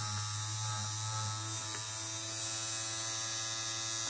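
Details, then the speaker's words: Small 3.7 V DC motor driven by a dual-mode PWM module at 618 Hz and 100% duty cycle: steady, even hum with fine high whir, no stumbles or scraping; healthy at full speed. "اس 100٪ رفتار ہے، میں نے اسے واپس جھکی"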